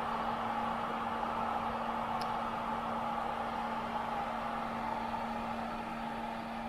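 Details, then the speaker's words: 100TB 10Gbit home server after replacing stock fans and heatsink with Noctua PWM fans on the standard profile, first boot with case open, camera mic almost inside the fans: soft steady airflow hiss, faint low hum, no rattle. Normal quiet fan operation. "listen to that it's just whisper quiet I'm like holding the camera inside of the fans almost"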